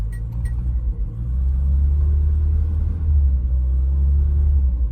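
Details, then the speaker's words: 1986 Peugeot 505 Turbo (N9T engine), unstarted several weeks, new battery, suspected ground problem: fires straight up and settles into smooth steady low idle, no misses or knocks; healthy start. "Let's see what happens. Oh, fired straight up."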